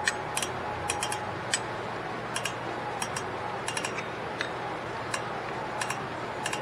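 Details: 2010 Toyota Corolla rear drum brake, after new shoes, hardware springs and wheel cylinders, star wheel turned: crisp, irregular light clicks; adjuster lever now engaging, previously silent because the arm was popping out and not making contact.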